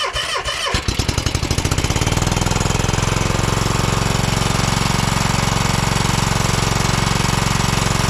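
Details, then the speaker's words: 2012 Toro Timecutter SS 5000 (model 74630) twin-cylinder zero-turn: a lopsided thump, running on one cylinder even with a new plug after finding an oily plug and possibly weak spark; owner suspects the coil, though rockers and valves were later fixed. "yep only running on one even with a different spark plug so that coil could be going out"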